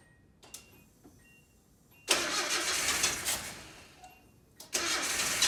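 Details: 1987 Nissan D21 Hardbody, 53,000 miles, stored 30 years with a seized motor that was freed, 30-year-old gas, new plugs, TBI tapped: slow uneven cranking breaks into rough bursts of firing that die away, then catch. Hard start after storage.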